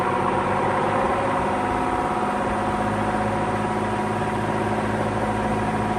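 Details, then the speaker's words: 1948 Emerson Electric 30" pedestal fan, model K60-TC, on high speed; steady loud whirring roar with hard rattling buzz on top. Owner attributes it to the thrust/spring washer or bearing/shaft, not yet fixed. Loud rattle at high speed. "But yeah, as you can hear, it makes a lot of racket on high speed."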